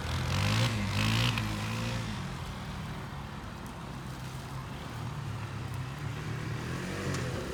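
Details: Kawasaki Bayou 220 barn-find ATV on test drive outdoors after carburetor cleaning, new battery, oil and air filters, straightened racks, rear right wheel bearing, seal and drum brakes: single-cylinder at steady low speed, even firing, no knocks or rattles; running really good.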